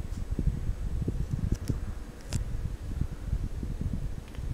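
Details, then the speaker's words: Mid-1980s Sears Kenmore/Lasko 52-inch five-blade ceiling fan, likely CEI motor, at medium speed: quiet, low, steady hum with faint ring and winding sound; smooth and healthy. "and also is developing a smite winding sound effect very nice hump to it"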